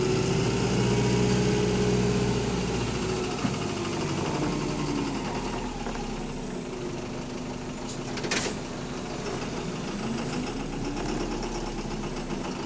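Heavy diesel rumbling along with a steady fast knock riding on top, roughly four a second, rising and falling with the revs: rod knock.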